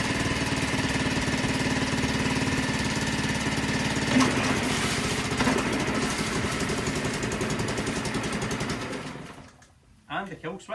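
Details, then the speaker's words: Mercury 5 hp outboard in a water bucket after repair, tested in gear, not run to full revs: slow, even idle putter about four beats a second, no knocks, then cuts cleanly; normal idle. "So, at this point, I'm delighted by the way it runs. I never got up to full revs, but I don't see any issue with that cuz it's idling slow. It's selecting gears perfectly."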